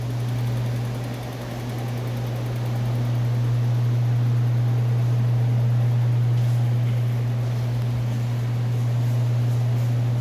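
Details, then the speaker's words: 1984 Goldwing standard flat-four with 12,000 miles after full chassis restoration, restored and synchronized carburetors, new belts: smooth, even idle with steady low drone about four pulses a second; smoked heavily at first start, now sounds healthy. "engine itself is running and it runs good sounds good smoked like hell when i first got it going it sounds really good"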